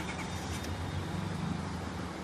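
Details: Honda Accord 6-cylinder, check engine light blinking, misfire on cylinders 1, 3, 5, codes P0135 and P0155 for bank 1 and 2 oxygen sensors; low steady idle hum with uneven lumpy beat, missing at idle, cause not confirmed.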